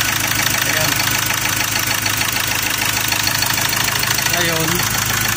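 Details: Ford Ranger 2.2L diesel with injectors just refitted, hard cranking: harsh clattering rough idle with a rapid knock about three per second and heavy vibration, no check-engine light; also white smoke, fast coolant loss, oil leaking at rear; cause not confirmed.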